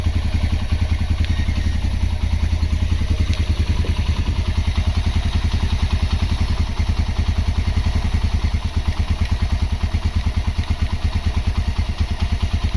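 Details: Honda GL Max Neotech motorcycle engine after full restoration/rebuild, originally noisy at head and clutch. Even single-cylinder thumping idle at low speed, no rattle or knock; normal healthy idle.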